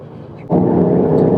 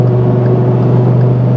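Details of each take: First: Truck on new Mickey Thompson EXP tires (between mud-terrain and all-terrain), noise starting at about 30 mph: tread hum comes in suddenly and holds a steady low drone, no howl or thumping, far quieter than the previous KM3s; normal tire road noise. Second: Truck on BFG KM3 mud-terrain tires, driving home on the highway around 85 mph: loud, steady low drone with throbbing vibration and the whole cab shaking, unbearable above 85, a low hum on the street; mud-terrain tire hum, tires hard to balance.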